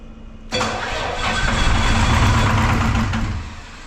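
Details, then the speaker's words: Detroit 4-53T with 9G90 injectors, modulator off for full rack: diesel cranks into uneven lumpy run, one cylinder dead; injector #2 coldest by IR gun, possibly failed after low fuel pressure from a loose suction hose clamp before the primary filter. "so I suspect it's this injector here number two it seemed to be the coldest uh with the IR gun anyway"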